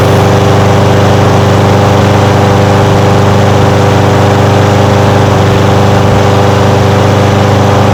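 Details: Old curbside Craftsman push mower revived after carburetor float and needle-and-seat work: steady, even single-cylinder putter with a smooth unbroken beat, no misfires or surging; running normally.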